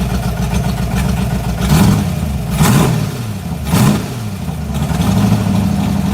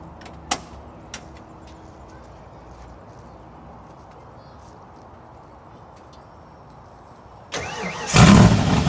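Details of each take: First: 1986 Mustang GT 5.0, stock '90 shortblock, B303 cam, speed-density stock EEC, ported E7 heads, 19lb injectors, long tubes: lumpy, unsteady idle with three short revs that stumble back down; rough idle, cam and speed-density not getting along. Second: 1986 Mustang GT 5.0, stock '90 shortblock, ported E7 heads, B303 cam, stock EEC, 19 lb injectors, long-tube headers, glasspack mufflers, solid mounts: quick crank and catch into a deep loud rumble that settles straight into running; healthy start.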